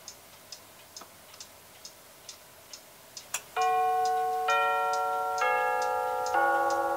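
Roughly one tick per second, then a clear ringing chime sequence of tones stepping down in pitch: the chime movement is working properly.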